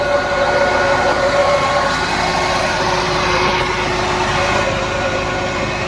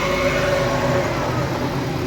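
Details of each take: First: Maruti WagonR idling: steady whirring drone with hum tones from the new radiator fan only when AC is switched on, noise drops with AC off; customer complaint of fan noise/vibration. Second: Maruti WagonR petrol engine idling with AC off and new radiator fan fitted: even run, faint fan hum fading, no vibration or noise; noise returns only when AC switches the radiator fan on.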